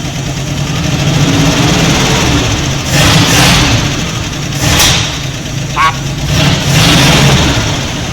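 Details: 1964 Dodge D300 Sweptline Crew Cab with a Poly 318 V8 swapped from a 1966 Coronet wagon. The idle is uneven with a stutter and faint top-end clicking from a lifter, and valve cover gaskets are leaking smoke.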